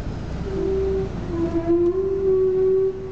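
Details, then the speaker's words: Audi TT with rear end sitting high, heard through open window while reversing; thin steady mid-pitch squeal from the rear, only in reverse, no warning lights. Owner wonders if it's the brakes; source unconfirmed. "just coming from the back as you reverse so it's a squeaking noise coming from the back end it just seems to be in Reverse"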